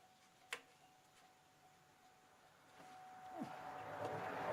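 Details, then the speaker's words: Chevrolet Malibu cranks but won't start: thin pump hum, then starter churning with no catch. Plug shows no spark, fuel present; crank sensor, cleaned earlier, suspected, knock sensor also considered. Unconfirmed. "I get no fire getting fuel I get I got fuel up here"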